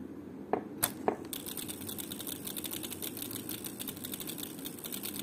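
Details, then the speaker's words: UHER Report 4400 tape recorder: a few sharp snaps, then quick irregular light clicking as the motor keeps starting and stopping; failing motor control board with germanium transistors, capacitors replaced, still unresolved. "so I don't know if you can hear a clicking noise uh and it not working correctly it's making this clicking noise and it starts and stops"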